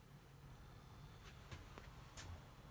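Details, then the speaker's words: DSO5102P oscilloscope after repair: TL431 feedback-circuit smoothing capacitor found soldered on one side only; loud whine now gone, only faint fan hum with light clicks, normal quiet running. "все какого свиста только из вентиляторов еле слышны вентилятор останавливал вообще больше ничего не"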